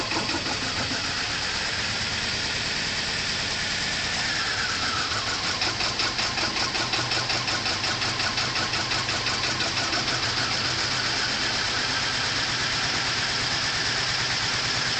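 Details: 2002 Nissan Altima 2.5S, bought used, burning about 1 qt oil a week: after starting, idles unevenly with an irregular stumbling pulse, a misfire; starting problems share the same underlying cause.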